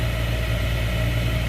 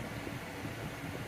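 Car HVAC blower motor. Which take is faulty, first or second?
first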